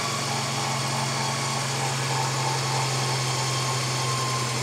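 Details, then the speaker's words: Volvo 240 just after passing its MOT, running hot: steady, even idle with a constant hum but fast at about 1400 rpm instead of 800-900; idle speed set too high, then adjusted down. "the Idol's a bit High though I was just saying that it does sound a little bit hot look it's it's actually like 1400 that's too high for idle yeah it should be about 800 no 8 900"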